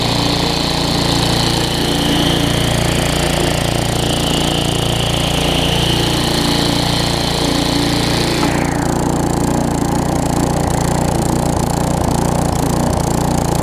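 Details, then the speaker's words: Tecumseh vertical-shaft engine after a carburetor replacement; it surges slightly at full throttle with no load, but once the load is engaged the two-stroke drone steadies and runs smoothly with no hunting or surging. "whenever i engage it you see how the throttle smooths out i am going to let it run a little bit"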